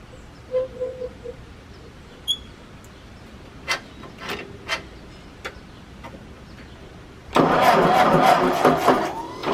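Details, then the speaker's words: 1951 Ford 8N tractor after valve job, carburetor cleaning with new gaskets, and exhaust cleared of mouse nests: scattered handling clicks, then it catches straight away and settles into a steady, even run with no misses; healthy. "once I got that cleaned out it sounds like well just like an 8N should folks so it's a very nice running engine"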